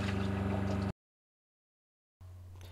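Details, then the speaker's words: RV truck camper Shurflo water pump under restricted flow at the kitchen faucet: a loud buzzy drone from back pressure, then a much softer hum on free flow at the toilet, about 13 dB quieter. "f restriction, like at my kitchen faucet or my uh faucet drinking sterilizer, it puts back pressure on the pump and that's when it gets really noisy."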